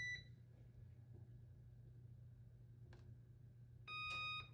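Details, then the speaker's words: Whirlpool Duet dryer bought in 2015 that stopped working: a few short high beeps, one dry relay click, then a longer beep burst with no motor or drum; the drum doesn't turn, blamed on a failed control board. "Nothing happened, it just clicks."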